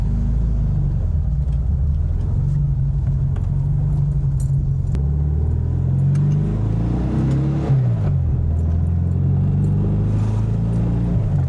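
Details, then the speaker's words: 1968 VW Type 3 Fastback test drive after new ball joints and fuel pump: smooth, even engine drone rising and falling with speed through the gears, no knocks or misfires; fuel pump didn't overheat, normal running. "Well, I'd say that's a success. That was It It ran pretty decent."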